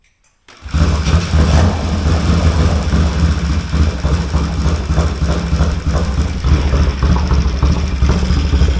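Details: 1970 Triumph T100C on first start: fires first try, steady even low thump, no knocks or rattles, oil pressure light goes out, straight-through pipe; healthy normal idle.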